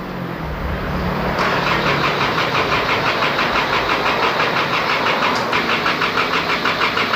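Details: Isuzu D-Max diesel at 80,000 km after an engine overhaul, tick-pump wiring repaired and a jumper battery added for a weak battery: a quick crank catches within a second, then a steady, even diesel clatter, a normal start and run.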